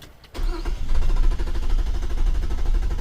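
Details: 2007 Nissan Quest, crank-no-start after a new fuel pump: starter spins the engine at a steady, even crank rhythm but it never fires; no fuel reaching the engine because the tank is empty.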